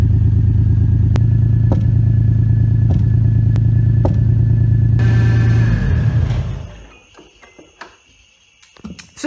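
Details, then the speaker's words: Toyota 2JZ swapped into a 240SX on first start, recorded at the exhaust: smooth deep idle broken by sharp irregular pops about every second; intermittent misfire or backfire, owner suspects too much fuel not burning off, spark plugs changed first. "however we have a sort of i don't know if it's a misfire a backfire whatever you want to call it we have a problem with something in the exhaust too much fuel something's not burning off"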